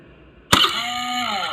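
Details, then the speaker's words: Hero motorcycle with new battery, self-start pressed: sharp metallic crunch as starter engages, then harsh grating whirr instead of clean catch; worn starter drive (bendix) gear grinding. "அது திடீர்னு shelf start ஆகும், திடீர்னு வந்து noise வந்து இப்போ எடுக்குது."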